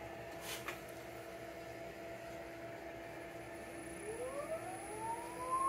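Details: Porsche 924S EV conversion, electric motor spun up toward 7,000–8,000 RPM: a clean whine climbs steadily in pitch, with no rattle or knock. The motor itself is healthy.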